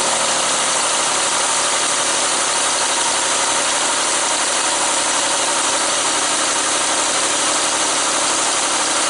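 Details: 2005 Mazda Tribute/Ford Escape 3.0L V6 after valve cover gasket replacement: even, steady idle with a busy, airy hiss of valve and injector chatter on top, no knock or misfire heard.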